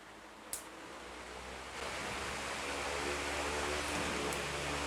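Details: Fan that ran slow with weak airflow, after replacing the capacitor; smooth even rush of air building to speed, no hum or scraping, healthy.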